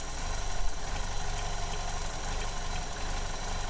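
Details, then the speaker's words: 2015 Vauxhall Corsa E 1.4 LDD petrol engine, idling with the oil filler cap pulled off to show a vacuum leak: uneven, lumpy idle with an irregular low throb; fuel trims go positive. Codes P0300/P0171. "So we decided to do the test again to see how much how the idle degrades when we pull the cap off."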